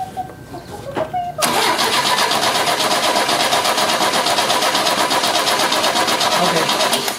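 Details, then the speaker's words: 1970 Opel GT barn find, sitting about 30 years, wet compression test while cranking: even steady starter cranking about three turns a second, no firing; cylinder reads 110 psi. "that one's almost a hundred and it's a hundred pounds well no 110 pounds 110 pounds okay"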